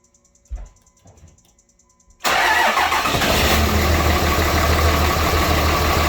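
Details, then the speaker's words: Cummins 5.9 diesel cold start duplicating customer complaint of hard misfire at startup: quiet clicks then rough, lumpy idle with uneven pulses and heavy smoke; cold-start misfire confirmed, diagnosis pending. "So you guys can hear it. It's definitely running a little bit rough."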